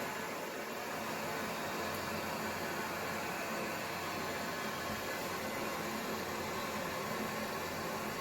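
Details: Toilet cistern refilling after repair: even, steady water hiss with no gurgle or whistle; fill valve flows freely again after replacing the worn, ripped rubber diaphragm (cistern washer) that had caused noisy, minutes-long trickle refills.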